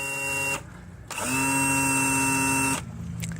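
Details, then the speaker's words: 2000 Johnson 115 outboard (twin setup) trim/tilt motor: high, steady electric whine with a sharp squeal for about 1.5 seconds each time it is powered, and the unit then would not trim down. "I only did this just to demonstrate the the squeal that I was hearing."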